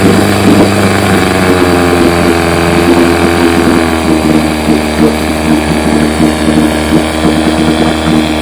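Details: Fully restored 1958 Johnson 7.5 hp two-stroke outboard, barrel test without silencer fitted: steady even idle with smooth low burble, no misses or knocks; idles down like a sweet purr, barely wants to die, normal idle.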